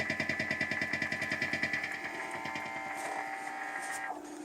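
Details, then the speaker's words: Rapid rhythmical clicking buzz, roughly three pulses a second, over a steady hum through a cranked guitar amp via a wah pedal: interference from the Wi-Fi unit, louder and faster as the pedal nears it. "now you hear this attack attack attack attack rhythmical clicking sound it goes through the wah pedal now so it's less noticeable in this position but this is how you can hear it so that's the wi-fi unit"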